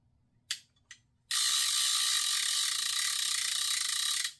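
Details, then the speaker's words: Vintage Penn 350 Leveline reel after repair of a lockup: two short clicks then a loud, fast, steady ratcheting buzz as line pulls out; the bait clicker engages crisply and works properly. "Nice loud bait clicker."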